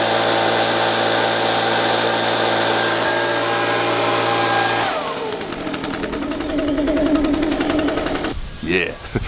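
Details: Two-stroke leaf blower after its spark arrestor screen was refitted: steady full-throttle scream, then a clean drop to a pattering idle; previously it bogged down with about 25% power.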